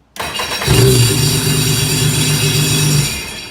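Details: 2004 Sea-Doo GTX personal watercraft, first start after replacing the starter solenoid and reconnecting the battery: the starter cranks briefly, then the engine catches and settles into a steady, even, low rumble. Starts cleanly, repair successful.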